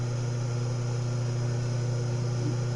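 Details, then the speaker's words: Old single-phase 127 V Brastemp washing-machine motor, coils rewired to reverse rotation to counterclockwise, reassembled with bolts tightened: strong, steady low hum with no wobble, knock, vibration or rattle; runs smoothly. "Sem trepidação, sem nada. Apertei bem os parafusos, está bem montado."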